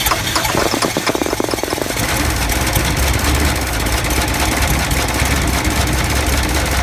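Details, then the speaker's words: Toyota Land Cruiser FJ60 barn find in cold winter weather, after new carburetor and fuel pump: two seconds of rapid cranking, then a loud, lumpy, uneven idle, smoking heavily while burning off Sea Foam. Rough running after start. "She's burning off the sea foam that we put in the motor, trying to clear her out."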